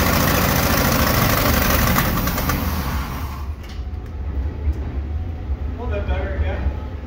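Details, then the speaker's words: 1956 International S-160 truck, first start-up attempt after revival: engine catches and runs unevenly, beat wavering as it slowly smooths; still rough, owners suspect plugged carburetor jets. "getting a little bit better we think the jets are plugged up"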